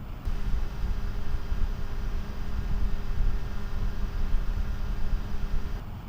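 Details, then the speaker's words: Replacement fan fitted to GVM PR 150R LED monolight, recorded on a Sennheiser mic: constant low hum at full speed, sounding about the same as the factory fan; no real improvement, still too loud. "So my comment would be that it sounds approximately the same as the fan system that came with the light itself. I'm not really hearing much of a difference"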